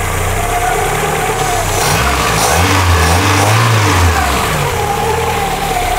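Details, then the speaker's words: Carbureted engine restarted after coolant purge, idle set by ear: even idle with a brief rev, running smoothly; breather (reniflard) blows strongly and a belt-like noise is noted, owner worried but engine runs well. "je suis quand même inquiet de se reniflent arlat qui renvoie de l'air mais grave à part ça il marche bien ce moteur"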